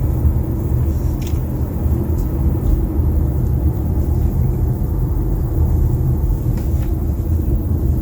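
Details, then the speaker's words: Kia Sportage driving on a smooth road after cleaning and lubricating panoramic sunroof seals, tracks and moving parts with silicone grease; steady low road rumble, the previous creaking from the sunroof completely gone. "but now silence the noise is completely gone"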